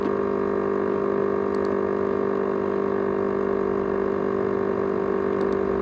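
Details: ASUS X543UA laptop with 500GB USB hard drive: constant loud jet-like hum with a couple of faint ticks, rattling noted; noisy hard drive, cause not identified.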